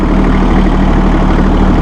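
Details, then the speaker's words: Massey Ferguson tractor, fully synchronized hydrostat with mechanical auto throttle, manual throttle near 1500 rpm; deep, even diesel drone and steady low hum with no knocks or misses; normal running. "I've just put it in neutral you can hear autothrottle working for you"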